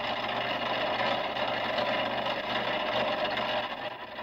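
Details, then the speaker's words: Electric fret saw switched on: fast, even buzzing chatter, about four strokes a second, as the arm moves up and down; loud but running normally. "When you turn it on, it is quite noisy. Don't be frightened of it. Don't be scared of it."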